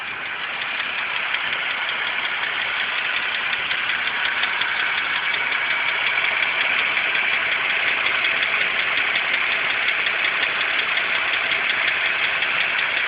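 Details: 2006 BMW 325xi idling petrol engine: light, quick ticking about three ticks a second over a thin, hissy running sound.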